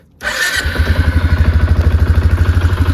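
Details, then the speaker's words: Quad after carburetor adjustment and a ride: catches immediately and settles into a steady, even low thump at idle with no misses or hunting; starts right up, though throttle sticking a little after flooring it. "starts right up like you should idle's really good on it basically the same as what I had"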